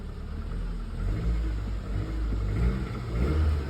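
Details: Car at a CarMax auction preview: engine revs and settles with a dull tapping under the low rumble, rising with revs; a knock in the bottom end.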